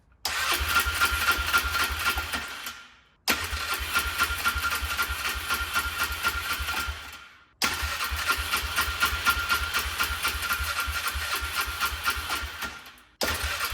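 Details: Polaris Trail Boss 325 four-stroke 2WD parked 12 years, on a borrowed battery with starting fluid: three tries, each catching and running rough a few seconds before quitting. The carburetor likely needs cleaning; fuel starvation suspected, not confirmed.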